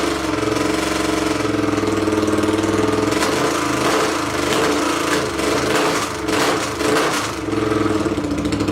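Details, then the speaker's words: 800cc pulling tractor engine, first test run in neutral, with air box and half carb covers fitted: deep, steady rumble with even firing beat, smooth and strong; engine sounds healthy. "so just real quick it sounds much better with the air boxes on or air box and half a half of carb covers just really listen to that rumble"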